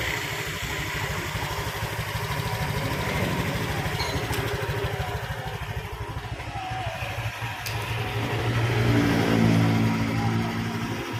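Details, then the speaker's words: Honda Vario 125 scooter idling on its center stand; a quick, regular putter with a brief light rev, smooth and normal. Its rattling noise appears only at 70–80 km/h and uphill, and piston rings are suspected. "OK, for the condition of the engine sound when it's idling like this, the rotation is very smooth, like a normal motorbike, no problems whatsoever, Bro."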